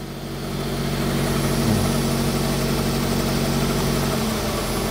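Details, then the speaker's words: Smart Fortwo 450 Cabriolet with a seized alternator, warm: steady low idle, and revs rise and settle as the AC compressor engages on the cooler setting, then drop; AC clutch engaging normally. "yeah so that proves it as well you can hear the revs change so you got one setting for a bit cool and then if you want really cool and you can hear it after to fuel up to combat that and then the revs drop"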